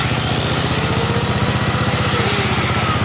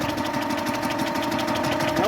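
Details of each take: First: Old Onan generator, last run around 1983–84, revived: steady even thump holding pace while powering two loads at once, no stumbling; runs fine but uses fuel quickly. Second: Onan generator, unrun since about 1983-84, cranked with some two-stroke oil put down the cylinder: the starter turns it evenly with fast regular chuffing and no firing; a valve is most likely hanging up.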